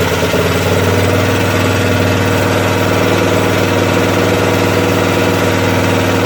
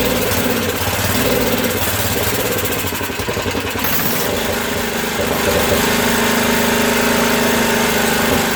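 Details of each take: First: Craftsman 13hp OHV Tecumseh rear-engine tractor after the governor spring was moved down one notch to set rpm; steady even beat at constant speed, no hunting or surging; normal running, problem believed solved. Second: Craftsman 13hp Tecumseh OHV rear-engine tractor, valves just reworked after no compression, running on choke: uneven, hunting single-cylinder thumping that sounds lean, with a lot of water in the fuel; rough running.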